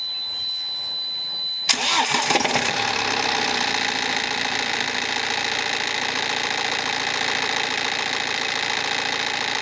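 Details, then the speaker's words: BMW 318d with N47 diesel, cold start: catches after about two seconds, then a bright metallic rattle over the idle with loose engine cover adding noise and a squeak; owner suspects the timing chain, unconfirmed. "Okay. So, there definitely is some kind of rattle on startup. I don't think it's helped with this engine cover being loose."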